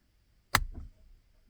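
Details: Canton 2 qt Accusump with electric valve on LQ4-swapped 1985 Pontiac Trans Am, key on with zero oil pressure, switch flipped: one crisp click then a short soft rush as oil flows; valve opens normally, simulating a cold-start prelube.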